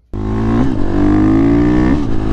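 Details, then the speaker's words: 2018 KTM XCF 350 dirt bike test ride after replacing a cracked fuel filter: single cylinder pulls cleanly under throttle, revs rising steadily with no bogging or sputtering, even in fifth gear. "definitely has more power I can tell you that right away I can definitely tell it has more power it doesn't bog it doesn't sputter"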